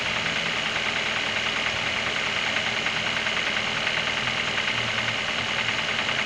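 Steady fast tapping, roughly three per second, rides over an idling engine; a knock is present but its source can't be pinned down. Cause suspected, not confirmed.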